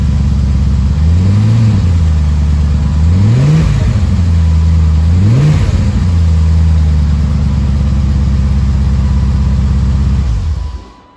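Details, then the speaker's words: BMW E30 325 with an M60 V8 swap, restarted after a pulley that had been hitting a heat-shielded hose was moved. A deep, even V8 idle with three clean throttle blips that rise and fall smoothly, with no grinding or rubbing. Normal running. "So let's just start it again and hopefully it runs better. A lot smoother now. Yeah, I think it's good."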